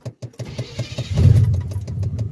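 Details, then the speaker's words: 1991 Chevrolet Silverado C1500 starts normally after no-start repair (zapped fusible link/starter wiring, starter wire replaced, hot wire rerouted): quick even cranking for about a second, then catches and settles into a steady low idle. "hey it worked nice so that's the extent of the troubleshoot and repair of the no start situation"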